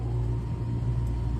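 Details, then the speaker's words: Lennox L series unit tripping the main breaker: blower motor started by manually pressing its contactor, deep steady hum with no knocking or scraping; normal start, fault not found here. "Okay, I heard that fire up, no issues there."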